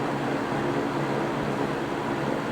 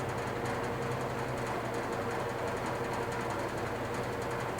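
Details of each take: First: GE three-blade box fan starting and running: steady airy whoosh with soft low hum, much less startup sound than the other fans and no buzzing issue unlike the W22s. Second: GE box fan (W-series) running on low: steady hum with fast buzzy rattle under the airflow; otherwise runs well.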